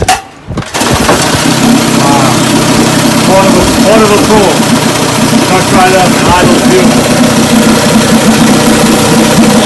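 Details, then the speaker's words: 1958 Evinrude 18 HP outboard after mechanical rebuild (magneto rebuilt, fuel pump converted two-line to single-line, carburetor rebuilt and cleaned, new impeller, gear oil changed): short crank, fires and holds a loud, busy, steady two-stroke rattle without dying or surging; runs great. "so i know you've been running it how's it run oh it runs great"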